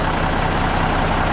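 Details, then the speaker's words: Kenworth truck with freshly rebuilt Cummins diesel (worn rod bearings replaced) at idle with 48–50 psi oil pressure, throttle not yet touched: steady, even low rumble, the big rattle gone; normal healthy idle after rebuild. "That big rattle is gone. Sitting about 48 to 50 pounds of oil pressure just sitting here at an idle."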